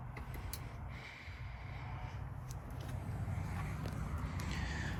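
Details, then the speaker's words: 1955 Buick 322 Fireball nailhead V8 first running after revival: lumpy idle with a faint irregular tick on one side that clears with higher rpm; suspected exhaust leak from a hole in the exhaust or valve train, not confirmed. "It runs pretty good. I'm ready to get rid of that exhaust leak, make sure that ain't a valve train noise."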